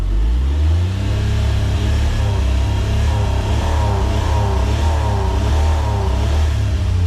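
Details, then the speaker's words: Autozam AZ-1 (Suzuki Cara) engine, cool, after new fuel rail and pressure regulator: revs up and down repeatedly but flattens out around 4000 rpm and won't rev past; cause suspected, not confirmed. "Interesting. It only gets to 4 now. So that's when the engine's kind of cool."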